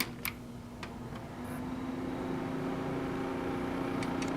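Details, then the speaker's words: Custom-built Pentium D desktop PC at power-up: steady low drone building with scattered ticks, worse with a tower sitting on the case; a failed case fan with a snapped blade that must be replaced. "all right so it's not doing it as bad as it was before ah there we go but you can hear that just that God awful noise and it sounded worse with that Tower sitting on top of it"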